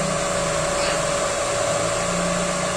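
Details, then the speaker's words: Extra cooling fan on a Yamaha Aerox scooter after riding through floodwater, sensor bypassed so it runs at key-on: even, steady whirring hum, no scraping, ticking or wobble; fan running normally. "Hai dari suaranya pun mesti sama enggak ada suara yang aneh menandakan kalau si extrafan ini punya kerusakan atau sejenisnya"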